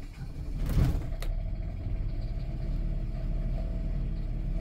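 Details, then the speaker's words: Generator on a 17-year-old Newmar Mountain Aire motorhome, restarted after shutting off unexpectedly the day before, runs rough with a low, uneven wavering rumble instead of a steady drone; sounds like it's out of fuel. "oh that does not sound good that sounds like it's out of gas"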